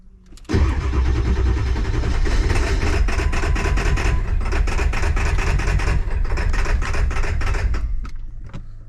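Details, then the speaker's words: 2001 Ford F-450 7.3 diesel running on 4 cylinders (three dead passenger side, one driver side; codes P1316 IDM, P1271/P1274/P1275) during cylinder contribution test: lumpy, uneven loping clatter, unchanged with different PCM and IDM; suspected wiring or injectors, before repair. "as you can see she's not a happy camper i'm running a cylinder contribution test right now i got her to fire up but she sounds exactly the same on a different computer in a different ibm so we're going to be into wiring or maybe injectors"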